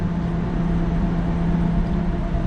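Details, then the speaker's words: AAON commercial water source heat pump entering cooling mode (status LED two blinks), possibly on a timer: steady low hum with rising fan drone, smooth, no rattle or scrape; unit starting normally. "so now we're in cooling mode so this thing is starting up it's probably going through a timer let's see what happens I hear the fan wrapping up a lot"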